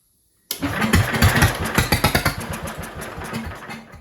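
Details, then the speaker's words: Jacobsen Chief 1200 tractor after sitting about 3 years; spark confirmed and starting fluid sprayed into the carburetor. Catches suddenly, fires quick uneven pops for a few seconds, then dies. Brief run then stall, suspected fuel starvation; fuel line and gas to be replaced. "You know what we can do? Let's give it a shot of go-go juice down that carburetor and just see if we can get anything out of it. Just a little bit."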